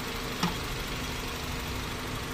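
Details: 2000 Honda City Type Z with check engine light on, which stalls with the aircon on; throttle body recently cleaned. Before idle adjustment it gives a low, uneven idle with a soft murmur and one brief thump, barely hanging on.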